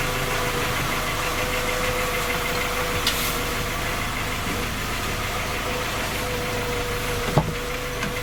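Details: Skoda Octavia A5 facelift 1.6 MPI, engine knocking when cold despite three engine repairs that did not find the fault: steady idle with a hard, fast knock riding on the engine rhythm; cause not pinned down.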